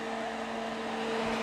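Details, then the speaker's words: Crest Audio V900 PA amplifier, 240 V, first power-up after checking outputs for DC: loud steady airy rush with fixed hum tone, no rattle or speed change; cooling fan running noisy. "That's a noisy fan."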